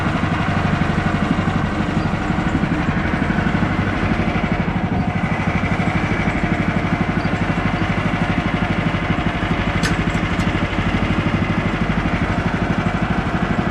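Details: Bandsaw mill cutting 3/4 x 6 inch boards with a reduced Pine-Sol blade lubricant mix; excess earlier probably made the blade slip off the bandwheel. Engine holds a steady, even beat under the cut, smooth blade hiss, no stalling or slapping; cutting normally.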